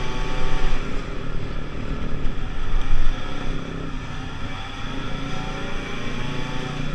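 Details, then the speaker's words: Pulse Force 50cc scooter, road test after a fuel starvation fix, rider about 14 stone, reaching around 37 mph. Small two-stroke buzzes cleanly up through the revs, holding pitch under wind noise without bogging or cutting out; normal running under load. "Okay guys, that was a really great test run."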